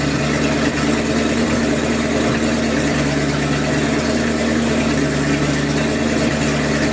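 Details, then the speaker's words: Sea Ray 220 boat, 7.4 big block, cold start on a 65° day, some water in the gasoline: steady even low rumble at idle, no misses, knocks or ticks; running smooth, with occasional stumble blamed on the water. "it seems to be running okay it's smooth as silk"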